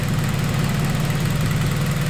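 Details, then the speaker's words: Acura RSX first startup after converting to a return-style fuel system with cutter-style fittings and hose, low on fuel: steady, even, smooth idle with no misses or knocks, no leaks, fuel pressure about 45, AFR around 14.7; normal idle. "Alright guys, here we go. Sounds like she's doing alright."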